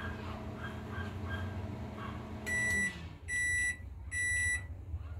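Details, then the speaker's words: Old GE microwave that runs and makes normal noise but doesn't heat: turntable hum winds down, then three evenly spaced high beeps about a second apart; normal end-of-cycle beep. "Vamos ver se ele vai dar aquele apitinho no final. Já tá faltando só 4 segundos"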